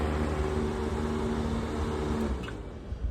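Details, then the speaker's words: Trane Voyager 25-ton rooftop HVAC unit with 2024 compressors and POE oil leak, circuit 1 started via contactor with one fan running: steady low hum, firm even mid tone and fan rush, no rattle or strain; compressor running smoothly. "That is circuit 1. Came on pretty good. 1 fan is running."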